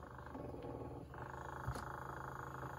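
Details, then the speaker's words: 1960s Electra TC-505 reel-to-reel tape recorder under restoration: steady low buzz from the motor that doesn't let up while the transport runs; motor buzz, cause not yet found. "and here we've got a little bit of a"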